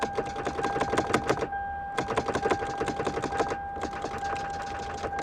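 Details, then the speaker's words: Flooded Lexus LS430 with 151,675 miles that ingested water: key on, fuel pump heard, then quick dry starter clicks in bursts over a steady chime, engine never turns over; owner suspects water in engine, likely done; not confirmed. "ah I hear the fuel pump I think engine just clicks dang it"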